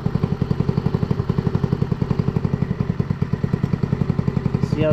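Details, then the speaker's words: GY6 150 scooter (Maddog) stock CVK carburetor tuning: mixture screw turned in leans it, idle thumping about four beats a second sags and lopes, then RPM rises as the screw is backed out toward highest idle. "it's getting lower we're gonna back it out until the RPM gets at its highest hear how it increased"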